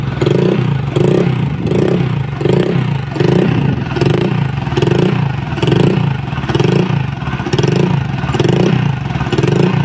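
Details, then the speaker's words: Honda Vario 125 old (KZR) that stalls often, especially when hot, flashing MIL code 52 (CKP sensor): rough running surging and dropping about once a second, sputtering toward a stall; crankshaft position sensor or its wiring suspected failed. "Nah, ini berbat-berbat langsung mati lagi, muncul lagi kedipannya."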